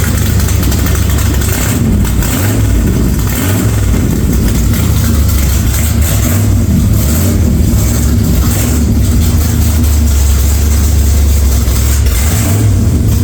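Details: 1946 Chevy truck rat rod engine running: deep, loud exhaust rumble rising and falling cleanly with each throttle blip; runs fine, just a loud exhaust; oil pressure took a while to come up after start-up, cause unknown.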